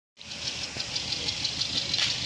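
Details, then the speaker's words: Nissan Serena petrol engine idling with a steady uneven pulse about six times a second from one dead cylinder; intermittent misfire felt most at idle, no check engine light, no noticeable power loss. "Nissan Serena has a misfire I can hear the Paulson all right so we're gonna see if we can get that repair yeah as you can see there's no checklight on this vehicle right"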